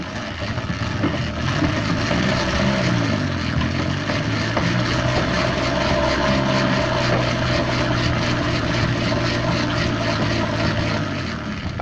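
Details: Peugeot pedal moped, laid up since 1997, after new fuel filter, choke cable adjusted and fresh fuel: even buzzing two-stroke drone holding a steady note, running cleanly.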